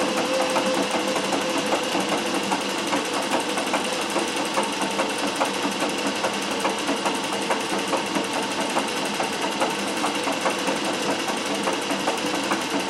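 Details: Singer 411G sewing machine on a treadle with a custom heavy balance wheel, original clutch removed. Slow stitching with even, light mechanical clatter at about 2.5 stitches per second. The heavy wheel now gives perfect slow control; normal healthy running.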